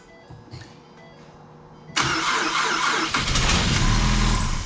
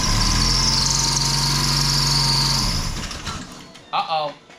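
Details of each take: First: Wrecked 2016 Mustang EcoBoost parts car, started on fresh batteries with likely little oil: it cranks briefly, catches and runs steadily with no knock; not locked up and sounds good. It then probably shut off on lost oil pressure. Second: 2016 Ford Mustang EcoBoost from wrecked parts car, run on temporary batteries; catches with high whistle over drone, dies within three seconds; likely pan sucked dry, shut off on lost oil pressure; not locked up.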